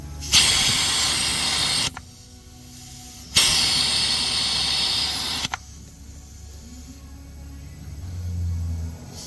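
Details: 2012 Ford F-150 5.0 with misfire, leak-down test: loud bursts of rushing air hiss, huge leakage on cylinders 4 and 8.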